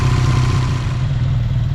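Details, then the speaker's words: Honda VF750F V4 at idle after carburetor sync (cylinders 1, 3, 4 close, 2 brought down), idle adjusted back down for a final check, temp gauge working: smooth, even low burble, no hunting; normal idle. "all right I think we've got them pretty close we're going to adjust our idle back down and check it one last time"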